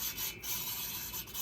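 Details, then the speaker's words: VW Beetle cylinder head, valve number 3 lapped with a drill and the compound cleaned off, checked for continuous sound: steady dry scraping with no skips or catches through each sweep. The valve seat is fully lapped and smooth all the way around. "And I'm just checking for continual noise. Okay. Okay, I cleaned all the compound off. Hear how it's smooth"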